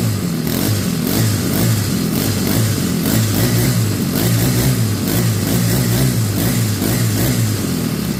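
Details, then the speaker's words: Craftsman WS 4200 30cc four-stroke weed eater after fitting a replacement aftermarket carburetor; started with no throttle after three pulls, picks up cleanly on each throttle blip and settles smoothly, no bogging. Previously hard to start and bogged; normal idle and revving. "well there you go started after three pulls there's no bogging down so I'm happy with it"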